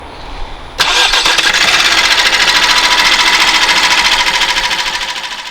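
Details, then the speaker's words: Opel B16DTH diesel (Astra, Insignia, Mokka, Zafira, Meriva 2015-2021) on cold start settles into a fast metallic timing chain clatter; the cause may be a failing chain tensioner or a stretched chain, and further diagnosis is needed. "Ce bruit désagréable de la chaîne de distribution. Un diagnostic et une inspection plus détaillés sont nécessaires ici."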